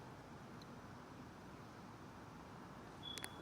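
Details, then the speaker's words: Blade 350 QX2 quadcopter's 2D gimbal, powered: only a faint steady hiss with no buzz or whine. The gimbal is now running normally and silently. "there we go silent now"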